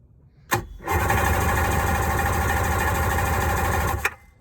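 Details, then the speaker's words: 1994 Sea-Doo SPX, cranked on a booster pack before plug removal: starter spins the engine about three seconds with an even rhythmic chug on each stroke; normal cranking with compression. "sounds like there's compression let me get these plugs out and i'll be right back"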